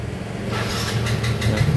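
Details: Yamaha Mio GT scooter after repairing a no-start fault despite good ignition, compression and fuel, wiring tidied and taped: steady, even low idle with smooth pulse, no knocks or misses; codes 42 and 37 remain stored.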